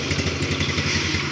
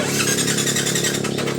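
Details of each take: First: Used motorcycle for sale that is hard to start on the electric starter but starts first kick on the kickstarter: steady, even low thump at idle with a regular quick pulse and no knocks or misses; sounds smooth. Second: Used motorbike from 2020, original condition, about 9,000 km on the odometer: starter whirs in separate bursts with gaps before the engine catches and settles to a steady idle; hard to start on the first try, fine by the second or third.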